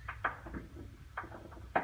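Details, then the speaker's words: 1997 tank water heater in a North Dallas house: dull irregular thumps every half second to second; hard-water sediment flaking off the tank sides and rolling around, needs draining and servicing; sediment knocking. "our water's very hard and sediment tends to accumulate on the sides of these uh tanks and as they get older starts coming off and rolling around in your tank"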